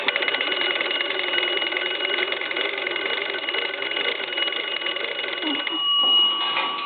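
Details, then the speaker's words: Restored Cracraft Leich wooden wall crank telephone, front door swung open, crank turned: bright even bell ringing, clear and strong without rattle or dropouts, normal bell ring. "i want to swing the front door around and i want to go ahead and hit the crank"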